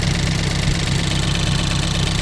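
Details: Ford Focus race car after a crash into a wall at Snetterton, started before rebuild, OBD scan showing nothing new, no leaks: steady, even low idle rumble with no misses or knocks; normal idle.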